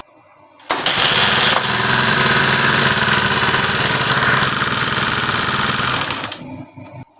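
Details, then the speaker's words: Honda Sonic 150 DOHC, complaint of cylinder head noise, revving: fast, busy metallic clatter over the exhaust, loudest up top; shims or camshaft suspected, engine damaged by oil pump clogged with crumbled clutch damper rubber. "Honda Sonic 150 dengan keluhan motor berisik di bagian head silindernya."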